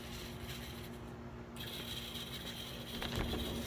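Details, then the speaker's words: MDC Roundhouse Shay kit locomotive with DZ123 DCC decoder and most powerful motor fitted, pulling a very heavy car at speed steps up to max: quiet gritty whirring with fixed whine; gearbox grinding persists despite every attempted fix. "Still, that sound of the gears, there ain't. I've tried everything. You're still gonna have that sound of the gears."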